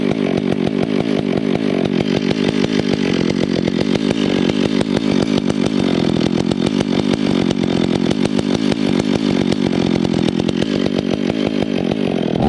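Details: Stihl MS 461 with Westcoast Saws dogs, bark box and Maxflow air filter, limiters removed, retuned, still breaking in: held at high revs with a slightly burbly, uneven crackle rather than a clean scream; carburettor set a bit rich, four-stroking.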